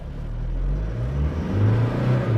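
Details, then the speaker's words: 2020 Toyota Hilux 4x4 in L4 low range on pavement: engine revs high and rough under load, with a strong, steady whine from the front driveline gears; normal low-range gear whine. "it's low gear it revs higher and you hear whining sounds of the of the gears on the front side of this vehicle and it's is strong"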